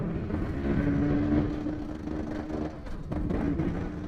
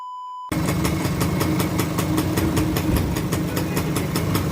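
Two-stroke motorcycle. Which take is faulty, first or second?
first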